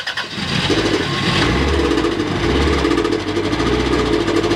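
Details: Old Toyota car with a thrown connecting rod through the block, still driven about 30 km home: rough, lumpy running with a heavy low knock beating under the exhaust.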